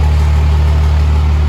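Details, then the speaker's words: 2005 Cummins diesel build idling after first start, battery recharged: deep, steady, even low rumble; no leaks, no funny noises from the lift pump, valve train sounds good; good fuel pressure, check engine light (owner suspects MAP sensor). "let it charge up there doesn't seem to be any leaks it sounds good uh the valve train sounds pretty good no crazy funny sounds or anything"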